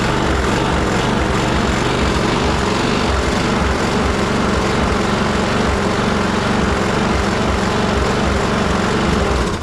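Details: Troy-Bilt push mower with Briggs and Stratton Quantum auto-choke engine, after carburetor cleaning, before raising rpm: small engine runs with uneven hunting, rising and falling about once a second; still surging, somewhat better than before.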